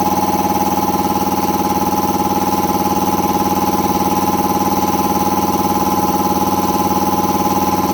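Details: Air compressor after installing a brand-new replacement pump unit (the old pressure switch had failed and stuck, overpressuring the system), running up toward an expected 145–150 psi cutoff; steady even pumping beat about three strokes per second, firm hum, no knocking or leaks; normal pump running.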